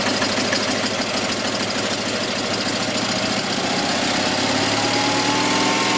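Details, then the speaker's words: Invacar engine first start after 14 years abandoned in a field, other engines running nearby: ragged, uneven, lumpy putter about three beats a second, clearly missing with one cylinder firing; owner suspects fuel not getting through, running only on poured-in fuel. "One cylinder definitely firing. Oh, she wants to live. She wants to live."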